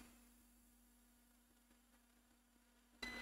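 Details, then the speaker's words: 16-inch MacBook Pro A2141 that won't power on, multimeter continuity test to ground on one side of removed parts: near silence then steady high beep on one side, none on the other; short to ground located there. "ah bah ça bipe ici. Et ça bipe pas de ce côté-là."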